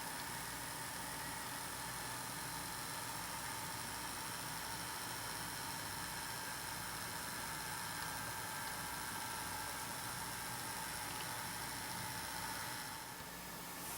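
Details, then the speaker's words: Intermountain GP10 locomotive with LokSound Full Throttle decoder, sound muted, little power applied on Digitrax layout, before CV124 change: quiet steady buzzing hum and whir while in motion. Motor hum under power. "With the Intermountain GP10s, in the non-sound mode, I'm going to apply a little bit of power here. Listen very carefully, and you can hear there's sort of a hum or a buzz when the engine is actually in motion."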